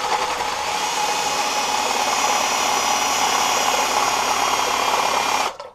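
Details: 1986 Johnson 4 hp Seahorse outboard, lower unit water pump bench-tested before reassembly: steady, even whirring hum with faint flutter, then clean cutoff; water comes up, pump working fine though the shaft turns somewhat hard.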